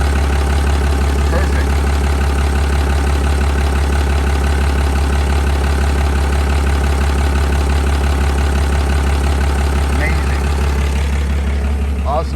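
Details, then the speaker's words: Diesel engine (with Industrial Injection dual CP3 pumps and Fleece distribution block) first start after install with new metal top radiator pipe and fresh coolant; starts right up, deep steady clatter at even idle, no stumbling or knocks: normal idle. "let's start it up see how she runs starts right up right up there's that dual cp3"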